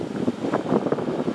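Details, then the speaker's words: 2009 Toyota Camry blower fan: quiet on low, but from just under half speed a quick uneven plastic rattle rides on the rushing air; a nut-like object was found in the blower cage, and after removal it runs quietly at all speeds. "there you go can you start hearing that there's a rattle that comes from the fan"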